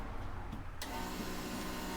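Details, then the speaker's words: Mazda RX-3 rotary restoration: key on, the electric fuel pump primes with a steady, even hum and a faint whine. Fuel pressure gauge sits on the regulator in the return line and should read about 3 bar. Normal priming. "here's the the fuel coming out of the filter into the rails so I'll just turn the key on near the pumps run"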